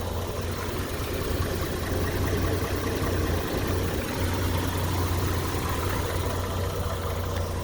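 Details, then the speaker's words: 1951 Chevrolet Styleline Deluxe, 216 ci six, 6-volt system, Powerglide, about 57,000 original miles, restored in 2001: quiet, smooth, even idle with a soft steady thrum, no knocks or misses; normal idle. "There you go. Man, you can barely hear it, huh? That is cool."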